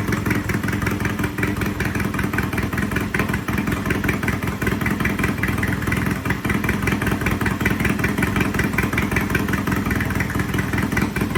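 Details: Triumph T100 vintage British twin after repair: loud, steady, crisp exhaust rhythm with no knocks or misses; sounds good, some smoking, to be judged after a few miles.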